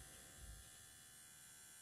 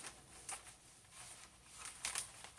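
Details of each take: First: Videojet Dataflex Plus 6420 107mm printer after calibration with air applied. Faint, steady electrical hum with a thin buzz from the air solenoid, still audible after the air is removed. A solenoid fault is suspected and the solenoid is to be replaced. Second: Videojet Dataflex Plus 6420 107mm printer, first test run with air pressure applied after replacing the timing belt and linear slide: a quiet run with light scattered clicks and soft carriage swishes, no earlier audible noise; normal print cycle.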